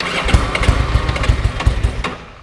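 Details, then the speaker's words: 1987 Ducati F1 750 carbureted motorcycle, cold start with choke pulled only slightly (inner choke not pulled): uneven stumbling pops and lumpy firing for a couple of seconds, then dies; owner says it is cold-blooded and always behaves this way — hard cold start. "Yeah, go another time. When it's cold, that's how it behaves. And I didn't have the choke pulled on the inside either, but that's basically how it's going to behave."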